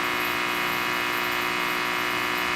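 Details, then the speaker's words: Diode rectifier test circuit, listening at the resistor with the capacitors across the diodes removed: a steady harsh buzz with a bright, hissy edge and no rhythm. This is diode switching noise, reduced when the capacitors are reattached. "Look at that noise. Attach them again. And remove them. I'll just go over here and adjust the trigger just a touch. Look at that. That is a lot of noise."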